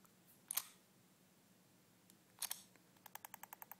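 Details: iPhone 4, factory condition, not jailbroken, no apps running: sharp click on each lock press followed by a quick, even run of ticks, about four a second, then silence; cause unknown.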